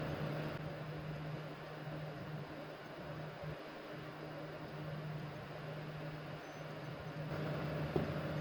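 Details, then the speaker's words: PS4 Pro after disassembly, heatsink and fan dust cleaning and fresh thermal paste: low steady hum with soft even airflow, far quieter than before, when it roared and shut down from overheating within 15-20 seconds of loading a game. "I'm gonna let it sit and let it run for a bit but as you can hear it is already running a lot quieter than it was before"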